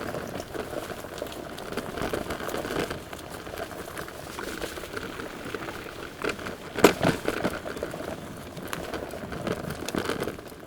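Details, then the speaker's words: KuKirin G4 electric scooter (2000W motor, 37kg) ridden over rough terrain: steady irregular clatter and crackle from cables rattling on the steering bar and something rattling in the back, with a sharp knock on a hard bump. "As you can hear, it's not the most quiet scooter going over rough terrain, and that's one of the things which I a little bit dislike about it. There is some rattling noise coming from the cables on the steering bar here, and there is something rattling in the back."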